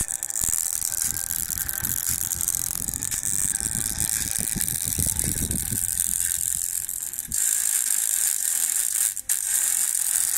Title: Speaker in my laptop sounds keep crackling and muted